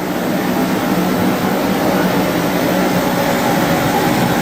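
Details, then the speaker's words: Torpedo heater after servicing, thermostat set to 70 degrees: even, unbroken roar of burner and blower with no sputter or surging; running properly though air gauge reads below spec. "Heating up. Everything seems to be working the way it's supposed to."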